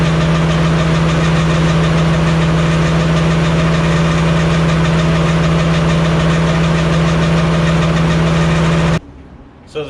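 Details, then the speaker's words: Walker mower deck running, sound test with standard blades (Versamo blades removed): loud drone with faint quick metallic tink at constant rate, not like blade strike; problem predated Versamo blades, source still unknown. "Okay, to me, I think it sounds the same. I think I'm still hearing that light metal, like tink, tink, tink, tink noise."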